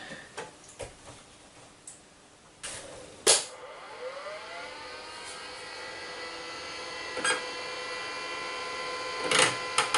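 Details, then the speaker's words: Amiga 500 hard disk at power-up, after about 25 years in a cupboard: a faint whir winding up with a rising whine, then scattered clicks and clunks; the old drive sounds like it is failing. "now that doesn't sound good right i think this hard disk is getting a red spot"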